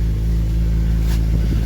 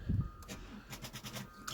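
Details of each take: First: Petrol alloy V6 (Alloytec) at auction, idling just after a cold start: deep steady throb with no startup rattle, sounding good on fire-up, though a slight idler pulley noise is present. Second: that sucks guys it tried it did try this battery's a bit flat that sucks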